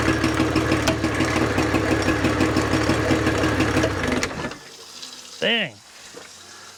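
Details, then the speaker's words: 1983 Evinrude 50 hp outboard running after carburetor work: lumpy, uneven idle with a loping beat near three per second before it dies; firing on only one cylinder. "that's running on one cylinder"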